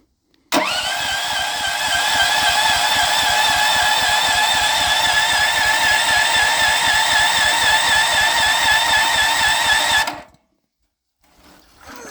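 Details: Auction Honda 15 HP engine, choke on, battery okay, key switch bypassed with a jumper wire: steady starter cranking at about four compressions a second for ten seconds, never catches; cause unknown, ignition kill wires suspected.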